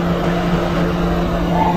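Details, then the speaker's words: 2010 Ford Crown Victoria with overheating: radiator fan running with a used test fan control unit fitted, steady even whoosh and low hum over the idling engine, no rattle; fan works. "Ah hindi siya bago pang testing ko yan so umaandar na siya ayan oh"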